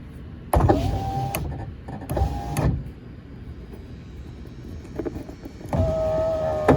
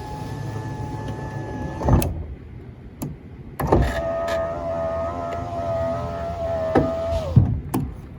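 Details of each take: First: 2004 Ford F150 FX4 driver's window, previously not working, cycled while the connector is wiggled: several short motor whirs start and stop cleanly with no stalling. It now operates normally; the owner hears popping inside and suspects an intermittent connector fault. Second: 2004 Ford F150 FX4 driver side power window that had stopped rolling up; window motor hums steadily, pitch sagging under load, with sharp pops and clunks inside the door; power window noise, cause unknown.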